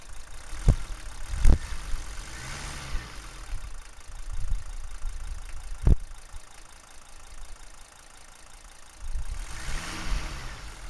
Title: Mercedes W123 300D strange noise from exhaust